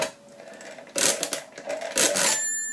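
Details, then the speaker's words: 1950s Thale mechanical calculator, handle cranked anticlockwise to subtract: quick ratcheting clicks then a clear bell ring as the result goes below zero, normal overflow bell during division. "now you hear it ring and that's because I've gone below zero here so I'm going to go back one so whenever you get the ring you then go back clockwise"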